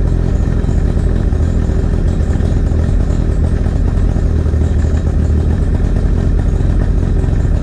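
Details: 2008 Tracker boat 50hp Mercury outboard on water supply after water pump replacement, timing set and new BPZ8HN10 plugs: deep, even burble with no knocks or misses; charging voltage rising from 12.19. Runs smoothly.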